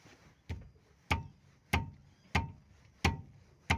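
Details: Opel, right-side knock: sharp single knocks about every 0.6 seconds as the wheel and steering are rocked back and forth; used front sway bar links that were installed are the cause, with the stabilizer knocking against the frame rail. The ball joints were fine.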